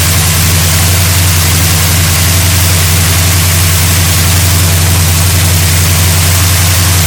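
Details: 1972 GMC Sierra Grande with a newly installed replacement engine (electric choke, new gas tank), first run in 9 years: steady, even low rumble with a smooth regular beat, no knocks or misses; engine running healthy.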